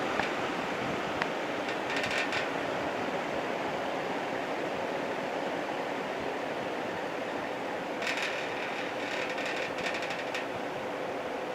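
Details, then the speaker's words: 1960s GE window fan running on low, blowing toward the microphone, after cleaning and oiling; steady even whoosh with faint hum, no rattle, scrape or wobble; running nicely. "It seems like it's running pretty nicely now."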